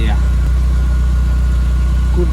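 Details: Golf Mk4 GTI after service and fuel filter replacement with genuine VW part, which cured a flat spot on light acceleration: deep steady idle, constant low hum, no hunting or misses; healthy idle.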